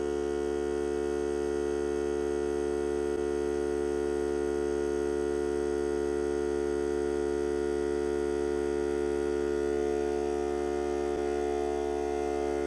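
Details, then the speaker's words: Hart cordless battery air compressor during break-in testing while supplying a regulator: steady, even motor hum at one pitch, no knocking or surging, recharging the tank; about 1 minute from cut-in to cut-out, max 125 psi; normal compressor run. "Compressor takes approximately 1 minute from the time it cuts in till the time it cuts out."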